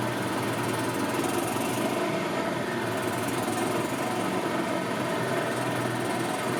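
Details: 2000 Yamaha G16 gas golf cart, running after sitting since 2013, weak battery just under 12 volts, charging system putting out about 15 volts: a steady, even buzzing at constant speed with no knocks, misses or surges, running normally.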